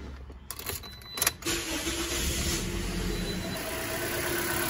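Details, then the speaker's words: 2010 Toyota Corolla shaking, flashing check engine light, won't exceed 40 mph: clicks, crank, then slightly uneven idle; cylinder 3 misfire moved to cylinder 1 after swapping coils, confirming a bad ignition coil. "definitely misfiring and yes it moved this is great so we just figured out what it was in a matter of minutes"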